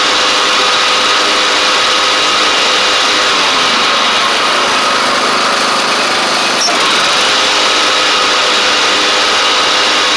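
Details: Craftsman DYT4000 riding mower, dragged out of the woods after sitting, now with new tank grommet, shutoff switch and blades: smooth constant small-engine drone with one brief click, steady and even; it started, ran, drove and cut. Normal running.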